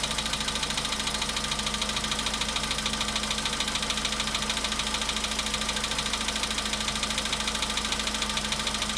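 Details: VW Polo Sedan at 93,000 km, after a cold start: sharp, very even ticking knock at about 200 a minute over a steady idle; engine knock, source undetermined.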